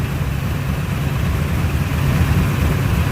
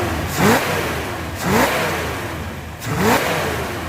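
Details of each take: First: 1972 Chevy Corvette with a new Bluetooth programmable distributor, switched from the custom timing program to the stock program with retarded timing. The engine slows and idles harder, rougher and richer, with a deep, loping, lumpy rumble. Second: 1972 Chevy Corvette with a Bluetooth distributor running custom timing program number two: the idle picks up and smooths out. Three quick throttle blips rise and fall cleanly with crisp, responsive, healthy revving.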